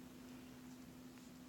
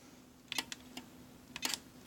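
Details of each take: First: DZ1000 switch machine on Y switch (number 2), ASC2, ZW 14-16 V power, fired from iPad: low steady buzzing growl the whole time after firing, never done before; owner notes it only happens with the STM2 hooked up. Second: DZ1000 switch machine on the Y switch via ASC2, thrown from iPad and Legacy remote: sharp clicks about once a second with faint whir between, no grinding; switch throws cleanly.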